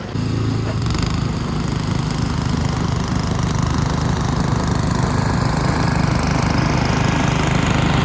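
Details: Ariens two-stage snow thrower model 11528 with old Tecumseh engine, in drive with auger locked blowing snow; strong even single-cylinder chug holding speed without missing or surging; normal engine under load.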